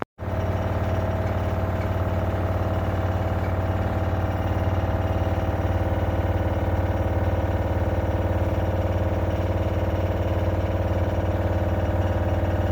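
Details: LG CV5011TS4 washer-dryer, less than a year old: loud, steady spin drone with regular thumping about four times a second; owner is nearly sure the drum shock absorbers have failed.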